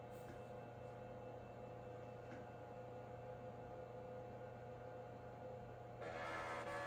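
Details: Nan Tan 8100 386 laptop after repair of its hard drive head mechanism, with DOS 6.22 freshly installed: quiet steady hum, faint drive whir and a brief seek near the end while booting to DOS; normal boot.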